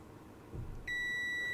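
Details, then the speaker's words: PlayStation 2 Slim board damaged by bench PSU overvoltage: low rumble, then an unbroken high continuity beep shows a short on the main power rail; the replaced capacitor is shorted. "I've got a short on my main power rail. I've noticed this cap is shortened. This is the cap I replaced, and that's shortened."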